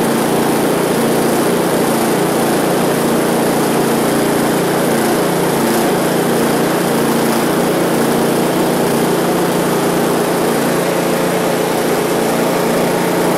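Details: One-year-old Husqvarna ST224 snowblower that ran poorly after fuel was left in over winter, after fuel system and carburetor cleaning, full throttle, choke on: small single-cylinder engine buzzing at a steady speed with no surging or hunting; normal running.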